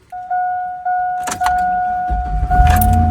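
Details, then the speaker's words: Suburban with a dead battery jump-started with a NOCO Boost Plus lithium jump starter: a few steady beeps, a short crank, then the engine catches and settles into smooth idle; normal start, battery discharge cause still unknown. "hook up the battery terminals hit the power button and crank your car I'm letting mine run you can hear it run"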